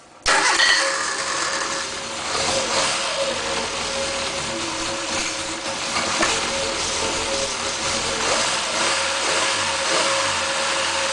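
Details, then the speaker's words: MG Midget 1500cc engine on a run-test stand, fed by a pressurized gas can and hose-cooled through a plated-off water pump; engine catches and settles into a busy, slightly uneven idle with faint stumble, a touch rough. "just can't get it quite tight enough in order to keep the leak out. So it may run just a little rough, but I'll show you that here in just a minute."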